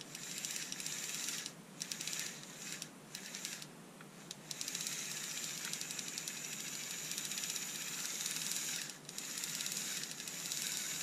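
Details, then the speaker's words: Panasonic EY503 2.4V cordless screwdriver under repair, bought non-working: thin strained motor hiss with fast irregular ticking as it struggles to turn the gears; owner suspects a broken gear. "it's definitely struggling to turn those gears, isn't it? And can you hear anything? Sounds to me like something's clicking. Wonder if we've got a broken gear in there."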